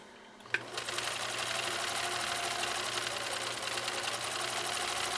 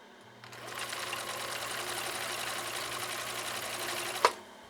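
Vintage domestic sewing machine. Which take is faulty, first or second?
second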